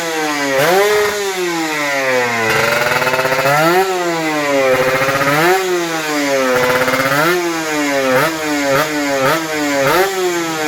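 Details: Kawasaki Ninja RR 150 two-stroke after service fixing heavy pull, stuttering and sticking throttle/super KIPS: crisp revs climbing and falling cleanly in repeated blips without stutter or hesitation. Normal revving.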